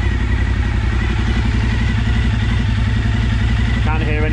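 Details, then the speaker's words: Suzuki SV1000S V-twin from insurance salvage, first start on jump-wired battery; steady loping low thump at idle, no knocks, bangs or rattles: normal idle. "knocks or bangs other the thump of too dirty great Pistons"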